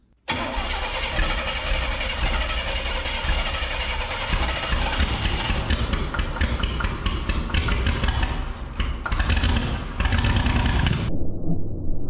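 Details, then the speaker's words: 1980 El Camino field find, running on a separate hot wire to the distributor and starting fluid, throttle held wide open: rough, loud running with sharp irregular knocking and a backfire; it held idle that morning but now won't idle, cause unclear. "Lost some eyebrows on that one. Did you hear the knocking? How does it go from holding some idle this morning to now, as long as I keep it full pegged and spraying this in there, it's trying to run?"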